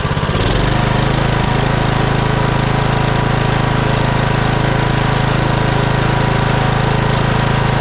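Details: Kohler Courage 19 on Troy-Bilt Bronco 42" riding mower, previously surging and dying off choke after aftermarket carburetor install; after fitting new carburetor and gaskets, no adjustment: steady even thump at settled idle, no hunting or dying; runs beautifully.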